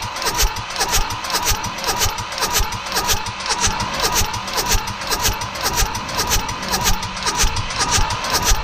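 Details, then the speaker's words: Mitsubishi D1800 tractor, KE95 diesel, on a chilly day during ND injection pump work and timing adjustment: steady cranking about two turns a second, no firing; no fuel coming from the pump. "we're just looking for fuel coming out of these guys huh nothing's happening now I remember last time it took quite a bit of cranking to get fuel to start showing up"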